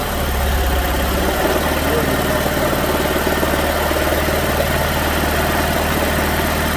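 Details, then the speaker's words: 2006 Chevrolet Malibu 2.2 Ecotec four-cylinder with flashing MIL, P0300 and rough, low-power running despite new plugs; lumpy, uneven idle with shake, spark tester on cylinder 1 of waste-spark coil shows no spark; cylinders 1 and 4 misfiring. "try adjusting the spark tester down to see if we got a weak spark no spark at all so we need to check that drive circuit to make sure that it's working"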